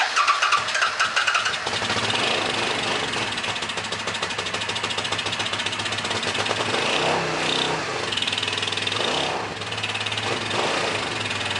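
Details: A Suzuki S50 Boulevard 800 V-twin, believed to be a 2006, that sat for years gives a rough, loping, irregular beat that briefly smooths when brake clean is sprayed into the front carb. It runs only on the rear carb because the front is fuel-starved and the rear overflows, so both carbs must come off.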